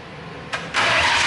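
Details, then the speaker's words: RB26-swapped Subaru WRX, first crank after the engine went in for good with new fuel lines and harness; quick, even whirring with no grinding or clunks, not firing; normal cranking. "Oh yeah, engine is already cranking, you guys. We're almost done. Woo! Oh yes sir, cranking, and it sounds good."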